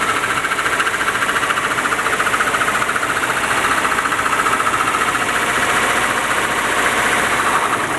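Steady light ticking knock about three to four times a second over a smooth idle, coming from the top end; source not pinned down. Cause suspected, not confirmed.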